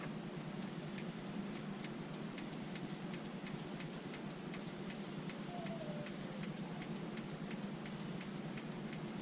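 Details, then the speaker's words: Newly installed diesel heater in a motorhome, switched on by remote: crisp, evenly spaced clicks about two per second over a soft fan hum. The fuel dosing pump is ticking normally as it starts pumping fuel. "You can see it spinning. Got to start pumping the fuel."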